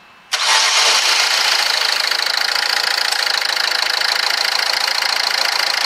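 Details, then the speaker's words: 2010 Ford Fiesta diesel, just started after a full service and oil change, with the air conditioning on. The engine catches, then a steady airy rush from the radiator fan holds over a quiet idle. Fan running normally. "now you might have heard the fan kicking and stuff don't worry about that the air conditioning is turned on in this car that's why it's making that noise"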